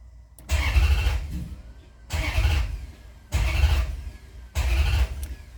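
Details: Maserati GranSport hard start after alternator replacement (fuel rails, injectors, intake manifold and hoses removed): four short starter bursts under a second each, though START held; engine never catches here. Starts after 3 to 8+ attempts, then runs fine, no codes.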